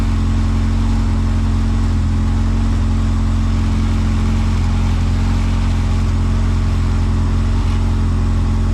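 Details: Zero-mile rebuilt B20Z swapped into a Honda CRX, first start, no cooling system fitted: steady, even low rumble idling just under 1000 rpm with no misses or ticks; normal healthy idle.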